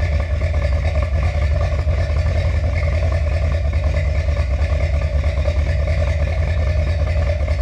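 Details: Finished 1977 Corvette C3 with number-matching steel-crank 4-bolt-main 350 V8 after a two-year restoration: deep, steady burbling idle through the exhaust with even pulses, no ticking or knocking; healthy.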